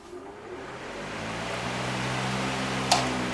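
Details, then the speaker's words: Electric fan on a Banggood triac speed controller set to full power: a smooth motor hum and an even whoosh of air with no buzzing, before the speed is turned down. "so i'm going to turn the fan on now and run it at full power and then i'm going to turn the power down and you'll hear the sound it makes so first of all full power"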